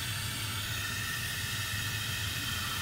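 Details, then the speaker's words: Toilet tank with a constant steady hiss of water flowing that never shuts off and stops when the supply is closed. "you may not be able to hear it but i'll try to get the mic real close you can definitely hear that it's running"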